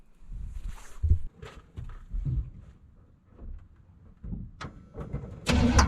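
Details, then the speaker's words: 1979 Chevy small block (likely 350), oil unchanged, before plugs, wires, valve stem seals and vacuum-leak repair; uneven, lumpy low idle with irregular stumbles, missing on possibly more than two cylinders. "as you can hear she's real rough island that might have more than two cylinders that aren't firing all the time we'll find out i guess"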